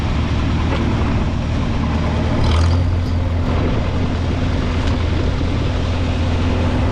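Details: 1952 Farmall Super C tractor after distributor work (rotor prong bent up; owner unsure if stuck mechanical advance caused the miss): even, steady low-pitched running without misfires or surging, engine running cleanly.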